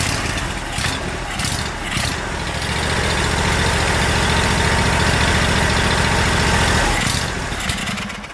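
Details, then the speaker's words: Kawasaki FH580V 19 HP on Exmark zero-turn, after new coils, carb cleaning, fuel pump and filter failed to fix: fires unevenly, revs swell and sag; surging rough idle from a missing Welch plug. "so there's a little cap that goes on top of that hole there that is fall out fallen out it's called a welt plug so two weeks working on this thing I finally figured it out"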